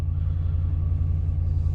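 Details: 2012 Ram 1500 Hemi V8 right after starting on a newly programmed key fob; deep, even rumble at steady idle with no misses, ticks or knocks, healthy.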